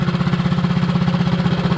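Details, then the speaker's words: Mini bike small single-cylinder engine, no load, exhaust shaved, light revs from 1450 rpm idle: quick even firing beat, no knocks or rattles. Running strong and healthy. "It's running strong, nice"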